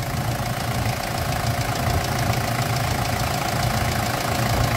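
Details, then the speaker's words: Toyota Land Cruiser Prado diesel with a knocking engine, later swapped for a Hilux engine, oil pressure at 35–43 psi: rough idle with a hollow, uneven knock and light ticking on top that does not settle, fitting piston slap. "Vamos começar agora Land Cruise com problema de motor batendo batendo"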